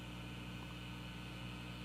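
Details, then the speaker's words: Repaired guitar amp with volume at wide open and no input: only a soft, steady hiss with a faint hum, about 54–56 on the speaker meter; very quiet, and the tone control adds a tiny noise. "okay now let's turn it up wide open so you'll be able to hear the hiss of the gain"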